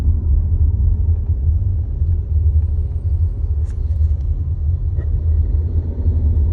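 Deep, throbbing low rumble with a slightly uneven pulse throughout; a vibration drone around start-stop, cause not pinned down.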